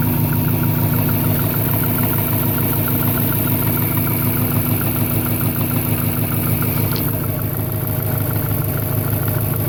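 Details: 1998 Subaru Impreza 2.5RS at idle: regular knock about three times a second over the idle; owner unsure whether it is rod knock, piston slap or something else.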